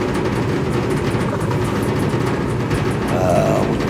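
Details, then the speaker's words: Whirlpool Cabrio gas dryer WGD8000DW3 that starts then stops within a second; drive motor wired directly to the plug gives a steady low hum and rumble, no knocks or scraping; motor good, a burn mark on the control board is the likely fault. "I did a direct motor to plug and the motor is good. It's spinning. You can hear it."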